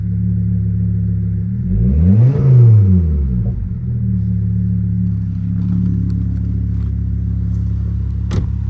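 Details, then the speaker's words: 2005 Volvo S40 T5 brought back to life after sitting, started with a boost after a new vacuum line. Even idle, one quick rev and return with no stumble or misfire, smoke now stopped; running normally. "Guys, we got it running. That's basically part one, I guess, of the whole project."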